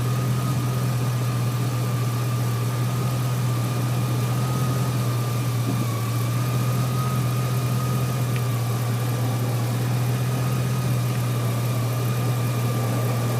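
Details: 2003 GMC Sierra SLE, 4.8 L V8, idling after installing a used remanufactured 105 A junkyard alternator, reading 13.2 V at the battery and 14.2 V at the alternator: a smooth, even low hum with a faint steady whine, running healthily.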